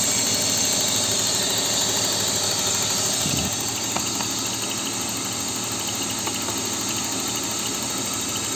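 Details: BMW E39 with M52B28 engine at idle: a light, fast, even tick about three a second rides over the engine; cause not pinned down.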